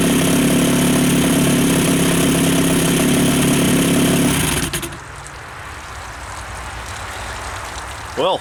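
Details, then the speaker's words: Two-stroke outboard after fuel system refresh (carb cleaned, new fuel pump, bad fuel flushed), previously wouldn't idle: loud fast idle drops cleanly to a steady, even burble without stumbling or dying; idling healthily. "okay so I'm not going to argue with that that's smoother than she's ever idled"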